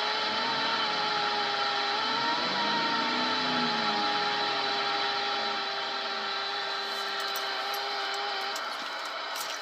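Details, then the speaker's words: Cobra 29 LX CB radio in a vehicle: high whine through the speaker starts with the fuel pump and rises in pitch and loudness with engine rpm; alternator/fuel pump interference suspected, chokes on power, ground and antenna tried without success. "there you hear the fuel pump cut on and you hear the humming and the noise give it a little bit of juice motor rev It"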